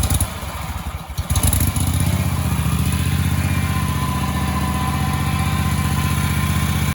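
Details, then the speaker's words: Husqvarna commercial zero-turn mower that sat 4 years, after new gas, starter and ignition coil replacement: short crank, catches within a second or two, then settles into a smooth, even putter until shutoff. It has a normal, easy start and idle. "new gas this thing starts up and runs pretty good i just mowed my lawn with it"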